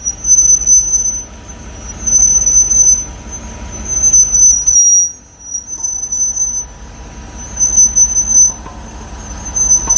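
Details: Car on lift, after sanding front and rear pads: front noise gone, right rear brake gives loud continuous high-pitched squeal swelling and fading with wheel rotation; cause unknown.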